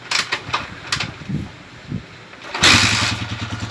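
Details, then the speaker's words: Motorcycle (TMX 155) single, after valve clearance adjustment to 0.05 mm with a feeler gauge to cure intermittent rocker arm noise: brief cranking bursts, then a steady, even idle with uniform valve-train ticks and no stray knock; rocker tapping is now even. "yung andar niya ay pantay-pantay yung palo ng rer arm yan oh okay diretso lang siya"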